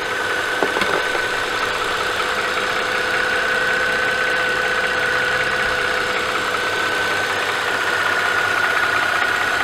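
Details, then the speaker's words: Mercedes-Benz S211 M272/M273 warm idle at 800 rpm: light, fast rhythmic metallic tapping with a faint hiss, present up to about 1200 rpm. It persists after the oil pickup O-ring fix cured the cold-start rattle; cause not yet found. "however once the car is warm and idle drops down to 800 RPM very noticeable like rhythmic metallic tapping noise is still there"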